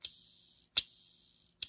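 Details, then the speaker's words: Technics SL-B101/B202/B303 turntable motor (1981), top cover removed, armature spun: sharp bright clicks about every 0.8 seconds from the plastic holder of the magnetic ring that turns over the Hall speed sensor chip. "you can actually hear the clicking inside in my pointer so the issue is with the plastic uh holder here that's holding this magnetic ring"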